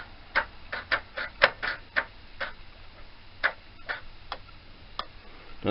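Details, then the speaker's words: Yamaha FZ400 project bike after a fuse box install: irregular light ticks about twice a second with no cranking, so the starter clicks without turning the engine; a voltage issue is suspected, not confirmed. "sounds a bit more like it's trying to be fair something's not happy so just put the old ignition we lay back on just to see"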